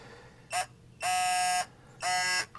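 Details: Electronic torque wrench on a 2022 BMW 530e oil filter housing cap, set to 25 Nm (18 lb-ft); short chirp then two long steady buzzing beeps around 700 Hz signal target torque reached (25.21 Nm).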